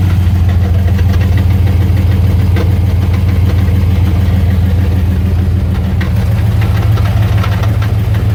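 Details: Fast metallic rattle about three per second over idle hum on a 1999 Dodge Ram 1500 5.9 V8 with 4-speed automatic, only in park; flex plate or torque converter suspected, not confirmed.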